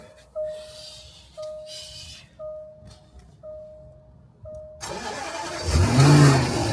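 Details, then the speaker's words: Supercharged Range Rover Sport Autobiography, first start after an alternator replacement and a gearbox ATF flush and filter change: a few warning chimes, then it catches cleanly into a strong, even idle with no knocks or misfires. Normal start. "my god. That sounds mean, innit? That sounds mean."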